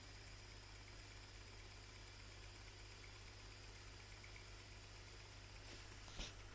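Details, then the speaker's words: Dirt Devil Easy Steam Express II DDSTM1500 steam mop, after removing mineral buildup from the heater, reassembled and tested: faint, steady low pump hum under a light steam hiss, normal pump operation, steam returning. "Okay, she's back on. You can hear the pump. Oh, I can hear steam."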